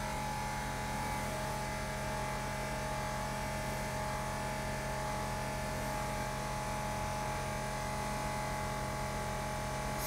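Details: 2017 BMW 5 Series F11 after installing a new air suspension compressor: steady, even electric pump hum, constant tone, no rattle or strain; compressor now raises the rear, healthy operation.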